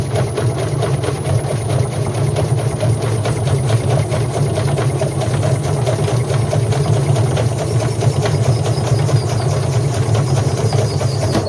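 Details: Indesit IWC71453 washing machine spinning with a loud, steady low roar and fast rumbling beat from worn drum bearings.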